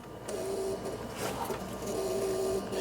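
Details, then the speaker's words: 39-year-old Ford F-150 crank-no-start: thin mid-pitched electrical buzz under the hood while back-probing injector wiring; injectors have power but no control signal as the noid light stays off; source not yet found. "same thing okay we hear a buzzing noise but we have power going to the injectors"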